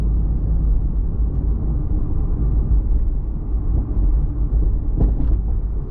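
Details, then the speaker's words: Toyota MKIV Supra driving after hatch rattle fix (hatch now sits about a millimeter higher): steady low road rumble with no rattle or buzz from the rear hatch, one brief bump near the end; other car noises remain. "Okay, back from the test drive, and as you may have noticed, that rattle is completely gone as far as the hatch goes."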